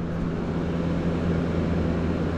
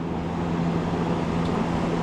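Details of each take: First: PTAC air conditioner removed from wall for not cooling, bench-tested before washing: compressor starts and runs with an even low hum around 180 Hz, no clicking or stalling; hot gas present and cold air blowing; normal compressor operation. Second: PTAC air conditioner that wasn't cooling: a steady condenser fan whir with a low electrical hum, but the compressor never kicks in; capacitor to be checked next.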